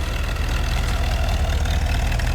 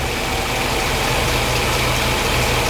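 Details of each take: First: 1977 Mercedes 450 SLC petrol V8 warming up after fitting a second-hand auxiliary air valve (previously idled 1200–1500 rpm cold, near-stalled warm): deep, even rumble at steady revs, no surging or stumbling, before idle screw adjustment. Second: 1977 Mercedes 450 SLC V8, warm, idling slow and deep around 600 rpm versus the specified 750, with a soft uneven pulse; revs run high cold then nearly stall warm, auxiliary air valve suspected.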